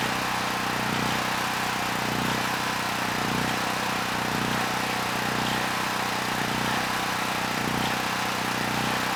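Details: Generac GP6500E generator, formerly seized engine now running, warmed up, tested outdoors under load up to 6,000 W near max: steady even drone holding speed, no hunting, knocking or misfire; 121 V held, 61 Hz to just below 59 Hz, distortion 6% to 16%; runs healthy.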